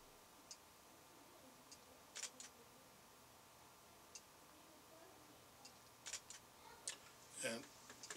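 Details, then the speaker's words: Fujifilm X-Pro1 camera in a quiet low-light recording studio, sound level test: soft crisp shutter clicks at irregular intervals, under 50 dB at three feet, quieter than a Canon 7D at 53 dB; normal shutter sound. "so we're going to try the shutter sound and see if that will register this is just the sound of the shutter of the uh Fu GX Pro"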